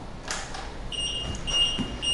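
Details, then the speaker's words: Pride Go-Go Sport 4-wheel travel scooter S74 at key-on after assembly: high steady beep about twice a second, meaning it is in neutral (freewheel) and won't drive; fix by moving rear yellow lever to locked. "If you hear that beeping sound, that means your scooter is in neutral and it will not drive."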